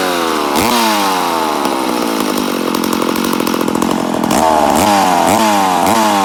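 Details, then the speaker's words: Rebuilt McCulloch Super Pro 80 chainsaw on its first start after the rebuild: revs climb and sag unevenly instead of holding steady; compression is good, but the owner suspects an air leak, probably a crank seal. "oh a sounds like we got air leak definitely sounds like she got an air leak but she does sound good yeah I'd say we have an air leak somewhere"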